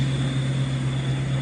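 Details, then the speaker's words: LBZ Duramax truck driving after lower control arm replacement on the independent front suspension: smooth, steady low drone with no rattles, clunks or squeaks; long-heard front-end rattle is gone. "That's the noise I've been hearing all this time. It's gone. I'm actually very happy about that. I don't have any funny noises coming from the front end."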